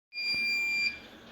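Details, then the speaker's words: Generic Chinese DVR security recorder: one steady, high-pitched beep of just under a second, its alarm that the hard disk is damaged or missing. "está haciendo ese sonido cuando un dbr hace ese sonido normalmente es porque su disco duro ya se daño O carece de disco duro"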